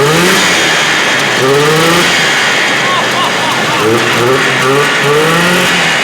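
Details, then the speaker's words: 1978 Arctic Cat Jam 340 two-stroke, rebuilt after low compression on one cylinder and run on a stand with carbs still unadjusted. It revs loud and crisp on both cylinders with pitch sweeping freely: normal two-stroke running. "yeah and she sounds good she's ripping on two cylinders we got to adjust the carbs that are in a little bit"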